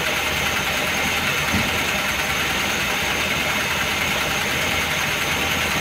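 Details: Engine warmed to full operating temperature after sitting a day and a half, hot idle with a fast, light metallic tapping from the top end over a hissy background; oil pressure lamp flickers when hot; heavily worn camshaft and its bearing bed.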